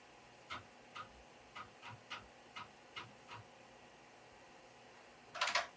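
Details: Compaq Portable booting Compaq MS-DOS 2.12 from floppy after floppy controller replacement, with SCSI card fitted and 401 error present: about eight crisp ticks roughly every half second, then a short rattling burst; normal floppy head seeking.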